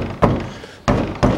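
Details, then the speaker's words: 2005 Toyota Passo, 1.0 L automatic FWD, 96,000 km, second side after caliper repair: three dull thuds on wheel, no rattle; caliper moves but no longer knocks. "что было это ушло всего вот он шевелится но он не стучит"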